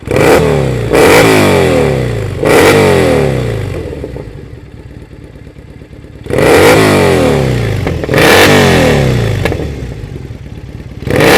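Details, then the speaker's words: Triumph Bonneville SE 865 after fitting D&D Predator silencers in place of the quieter standard units: a loud twin revs and drops back, with irregular crackles and pops from the exhaust on overrun as the throttle closes. "there's a wee bit of popping on the overrun you can hear as well"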